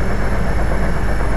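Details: Car engine at idle with rocker cover off, after rocker arms worn from low engine oil were replaced and cleaned: smooth, steady low rumble with no tapping or clatter from the top end; valvetrain now sounds healthy.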